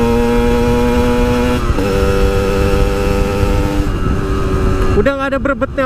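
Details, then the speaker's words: Yamaha RX-King two-stroke riding at high rpm after repair of hesitation/stuttering at high revs under load (checked from spark plug and coil onward): pulls cleanly through the revs with a steady tone, no stutter or misfire. "di atas enggak ada limit-limit lagi semoga eh enggak kambuh-kambuh lagi penyakitnya"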